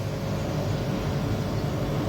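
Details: Samsung 18000 BTU R22 home air conditioner outdoor unit after fan motor bearing replacement: steady low hum and smooth fan whoosh, no grinding, rattle or squeal; running evenly, about 6.5 A, normal.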